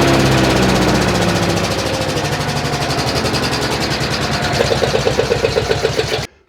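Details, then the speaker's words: Wood chipper small single engine after removing debris: runs steady with even rapid beat above idle, then shuts off cleanly; runs smooth off idle, slow idle not needed. "Okay, well, it seems to run okay at anything above idle. And this really doesn't need to idle slow."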